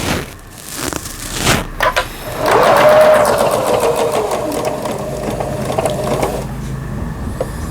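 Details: Kenmore household sewing machine, US-market 110V-only, made in Taiwan, being repaired; stitch length and forward/reverse stitching shown working. Quick, even needle clatter around three to four stitches a second with light motor hum; sews smoothly without binding.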